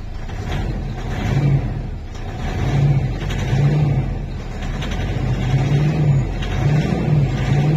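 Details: 2013 Mitsubishi Strada/Triton diesel, previously crank-no-start with codes U1504/B1707 from faulty immobilizer antenna, started after antenna removed: deep diesel catches and settles into steady low rumble with gentle rev swells; starts and runs normally.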